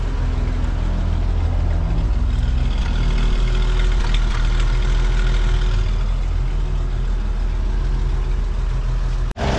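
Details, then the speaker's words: 1937 Chevy Master Deluxe coupe, first start, cold after battery charging: even low idle, slightly unsettled, no knocks or ticks; good oil pressure, no leaks, running fine. "Like a charm. Fired right up. Sorta. I'm just glad I got it before the sun went down. Just needed a little extra juice."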